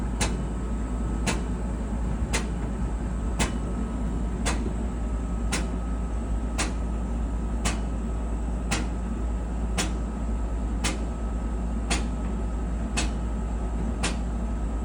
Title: Whirlpool dryer knocking sound when running… drum? roller? pulley?